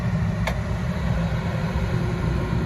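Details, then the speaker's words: Carrier package unit, heat call (24 V on W1), no fan call on G: one sharp click, then a steady low roar of the gas burners firing with the blower not running. "It's not calling for the fan. The fan's not on, but it's not calling."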